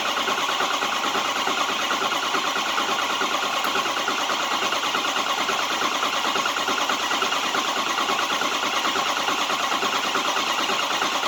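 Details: 2005 Ford 6.0 Powerstroke diesel cranking on two booster packs: steady, even starter cranking at about seventy a minute with no firing. Crank no start, cause not confirmed.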